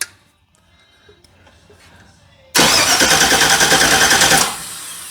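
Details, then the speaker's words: 1965 Chevy C10 after work near the timing belt: starter spins evenly, about three pulses a second, with a bad pop but no start; owner suspects timing way off or slipped belt tooth, plug found wet. "Uh that sounds like a timing's way off. It just popped terribly bad. Well, we ain't got nothing."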